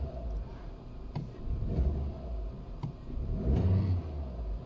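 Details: Audi A2 petrol with LPG conversion, still warm, on a new battery replacing one with a dead cell that caused cold misfires: engine picks up cleanly on each blip and drops back without stumbling, low rumble; revs respond normally.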